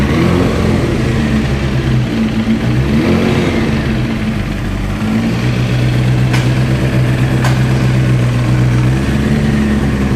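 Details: 1994 Honda CBR 900RR, misfiring at low and mid rpm and unstable idle, better at high rpm, carburetors already replaced and synchronized: lumpy, uneven idle with irregular exhaust stumble, one cylinder not pulling; misfire from low compression.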